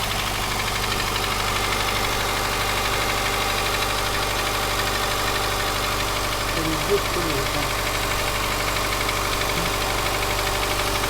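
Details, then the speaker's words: Subaru Forester SG5 EJ203 SOHC 140 hp naturally aspirated, cold start idle: light irregular knock once or twice a second, louder left or centre from the front, fading after 3-4 minutes; not heard when warm or on throttle; cold engine knock. "Из-за того, что она холодная. О, видишь, он начинает пропадать уже."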